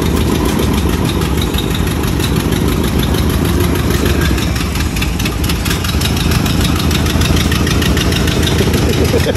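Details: 1986 Chevy Caprice box body, bought used, at first start: ragged, uneven idle with loud raspy chuffing and clatter. Runs rough, likely from a leaking exhaust; cause unconfirmed.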